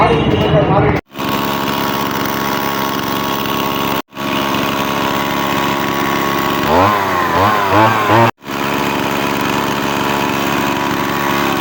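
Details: Two-stroke chainsaw brought in for a starting problem, after new spark plug and cleaned air filter: steady buzzing run with a few quick throttle blips rising and falling cleanly; runs and revs normally.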